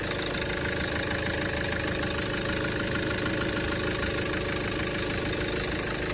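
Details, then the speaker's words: Maxus V90 van diesel that smoked with oil everywhere: even idle with light regular clatter and no knocks; the earlier noise was only oil on the belt, and the engine runs healthy. "yeah that's all that noise was was the belt had a bit oil on it other than that she's running beautiful really"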